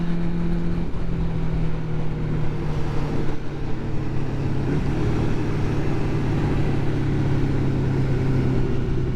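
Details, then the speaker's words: Vehicle accelerating on first ride out of the year, after last year's poor running and cutting out; deep even exhaust note pulls cleanly through the revs with no stumbles or cut-outs, sounding much better than before; normal running. "does sound sweet sounds a lot better than it did before I don't know whether you'll hear it on the microphone"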